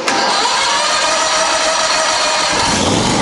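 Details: Predator 670 V-twin swapped into Exmark mower, first test run bolted to table with PTO shaft fitted, checking for vibration: catches and settles into steady even run with no knocks or shake; clean start.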